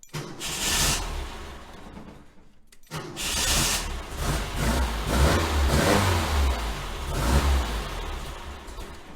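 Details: 1966 VW Type 3 Fastback, 6-volt, after new starter and reconnected starter wire: engine catches after a short pause, revs up and down in uneven surges and keeps running; starts and runs healthy.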